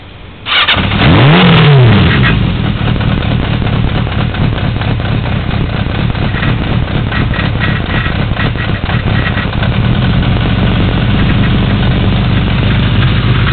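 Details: 1982 Yamaha XJ550 Maxim, about 12,475 miles; carbs rebuilt and rejetted from 1.12 to 1.25, K&N pod filters, airbox removed. Starter whirs, catches within two seconds and settles into a strong, even idle. Normal cold start.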